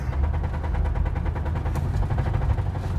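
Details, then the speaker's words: 2003 Ford Crown Victoria P71, 4.6L V8, 121,000 miles, blown engine, driving at low speed around 25 mph: loud rapid regular knocking felt through the gas pedal, slight lurching, while temperature, oil pressure and voltage gauges read normal. "the temperature is fine oil pressure is fine the voltage is fine and it sounds like it's about to explode"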